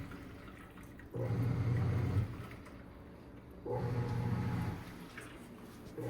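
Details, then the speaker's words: Black & Decker 3.0 portable washer, over 2 years old, washing after filling: low rumbling agitation surges about every 2.5 s with water sloshing. The machine doesn't move, bounce or vibrate; a normal wash cycle. "As you can see, the machine is not moving at all. It does not jiggle, it does not bounce, it does not vibrate, nothing."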